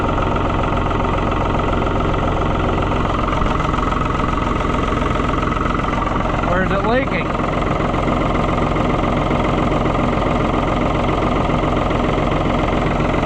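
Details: New Holland TN75 DA diesel tractor just after hydraulic pump replacement, with a small diesel fuel drip noted: steady, even idle with regular low chug, no knocks or misses; running smoothly.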